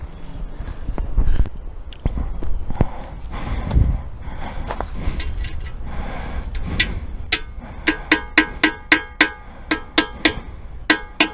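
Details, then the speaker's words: Hammer blows driving a steering head bearing race into a 1996 Suzuki RM250 frame land about twice a second; the pitch turns deep, solid and ringing at the end, showing the race is fully seated. "But when it found home, when it's seated all the way, as we call it, hear the pitch change. Donk, donk, donk, donk, donk, donk, bang, bang, bang. Real deep, real solid. That tells you that you're all the way in."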